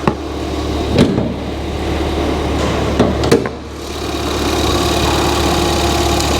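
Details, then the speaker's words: Ford Fiesta ST, engine bay view after keys recoded and car finally running and driving: quiet, even idle with a steady low hum and only brief clicks, sounds healthy and smooth; normal idle. "it sounds good that sounds really quiet really quiet that's good"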